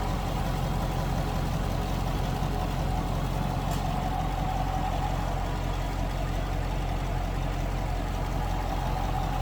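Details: 2019 Chevrolet Camaro 2SS Convertible, 6.2 L V8: a deep, steady burble with an even pulse and no ticks or knocks over almost ten seconds. A clean, healthy idle.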